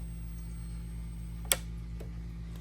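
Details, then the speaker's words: PlayStation 2 that will not power on: faint steady low buzz with one sharp click, no light comes on; capacitor on the power supply board suspected, board to be replaced. "all right guys so we just got this PlayStation 2 in and when I plug it up and turn it on you can hear like a little little buzzing noise and no light comes on"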